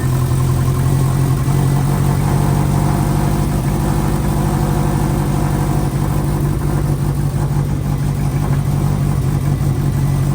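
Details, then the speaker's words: Freshly installed engine in an 04 Subaru, first morning run after filling oil and coolant and bleeding overnight: steady, even low idle with a smooth, regular beat and no knocks or ticks; healthy. A coolant leak was later addressed at a cylinder-4 cooling-mod fitting, believed fixed. "oh she's alive as you just saw the uh 04 D Brak is now running"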